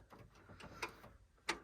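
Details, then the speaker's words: 425ci Oldsmobile Toronado (Paxton), long-stored farm car: faint sharp single clicks at uneven intervals with no cranking; owner suspects a failed starter relay under the dashboard. Clicking, no crank. "what's up it's like a starter relay or something under the dashboard must be knackered"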